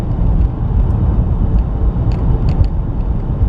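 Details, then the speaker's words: 2019 Chevy Trax on a test drive over potholes after tightening a loose front brake caliper that caused a front clunk: only steady road rumble and light ticks are heard. There are no clunks. "I'm not hearing anything yet well pretty sure that loose brake caliper that's all it was causing the noise"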